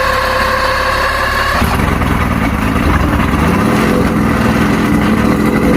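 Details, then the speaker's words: Mercury inline six outboard after no-spark diagnosis (trigger and stator tested, strong spark on all six cylinders): cranks and fires first crank within two seconds, then settles into steady, even running; ignition fixed, water pumping weak, impeller needs replacing. "doesn't get better than that nope yep first crank fired right up"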